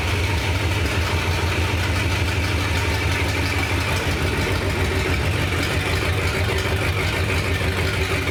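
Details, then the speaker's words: Carbureted V8 in a truck built from three or four trucks, first run after the radiator went in and the exhaust was buttoned up: loud, even, lumpy idle through open pipes with no knocks or misses. Ignition, carburetor and motor are good. "thank God the ignition and the carburetor are good and the motor sounds good"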